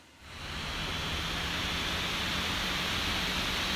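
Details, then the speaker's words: MacBook Pro fan after fixing its buzzing, both fans bumped up, phone microphone laid over the fan: smooth, airy whoosh ramps up then holds even, with no buzz or rattle. The fan sounds healthy, better than before. "far so good it's sounding better than it hasn't a long time even before the buzzing issue like it just sounds it sounds more like a jet"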